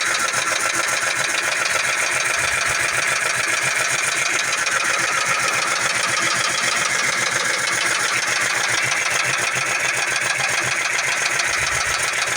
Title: 2004 V6 Mustang Base that's a Rod knocking right ?